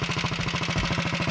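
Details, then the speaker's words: 1961 Wheel Horse model 401 tractor after cold start on full choke: even single-cylinder chug at about fifteen beats a second, no misfires; smooth steady idle, slight smoke on throttle. "i'm gonna move the camera so you can see it smokes a little when you give it gas sometimes those things clear up when you run it some"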